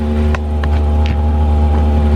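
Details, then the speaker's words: Chinese diesel heater installed in a 2015 Freightliner Sprinter van, fuel lines purged and primed, heater lit and blowing hot air; steady fan hum with even low combustion rumble, no sputtering or surging, normal diesel heater operation. "i hear it it's going come on it's coming out hot it's just taking a while nice and warm just going to let it run for a bit looks like it's working"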